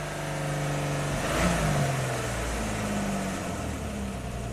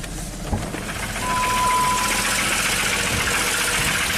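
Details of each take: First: 2002 Jeep Grand Cherokee 4.0 inline six after rebuild, cam signal restored and misfire cleared (suspected fouled plug): revs up smoothly, even steady idle, clean blips; running well. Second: 2002 Jeep Grand Cherokee 4.0L inline-six, crank no-start after many parts and an engine rebuild, first start with pedal to floor, blue smoke, no cam signal; loud uneven lumpy run with rough clatter, sounds like a diesel, won't rev up, cause unclear.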